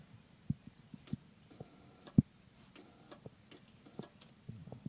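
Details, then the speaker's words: MKIII Toyota Supra that won't start: quiet, uneven single clicks with no cranking; all power, stereo and lights cut out when the key is turned; ignition switch already replaced; cause unclear. "this is the sound that my car seems to make whenever I try to start it"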